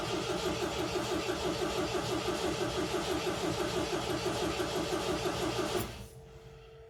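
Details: 1979 MGB, family car, cranking on choke in neutral after fuel pump and oil pressure come up; steady starter cranking about three turns a second for nearly six seconds, never catching. Owner blames bad fuel; crank no start.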